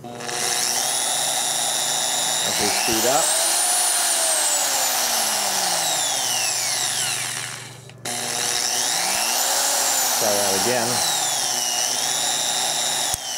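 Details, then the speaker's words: Harbor Freight Chicago Electric 7-inch 10-amp digital variable-speed polisher/sander (#62297): high motor whine sags in pitch and climbs back twice; the sensor-based constant-speed load-sensing control doesn't hold speed steady. "can hear slow down and then speed back up again it's supposed to be load sensing but it that seems to vary it doesn't seem to work as well as on higher end power tools"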